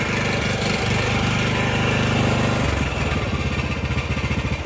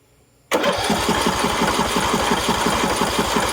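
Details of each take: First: Husqvarna LTH 18538 small single-cylinder mower engine running a little unevenly, still coughing, with a fast tinny buzz on each firing pulse from a loose muffler rattling; muffler needs bending out. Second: Husqvarna LTH 18538 mower engine cranked with spark plug in and plug wire disconnected: starter spins evenly at about three pulses a second without heavy compression drag, decompression release working.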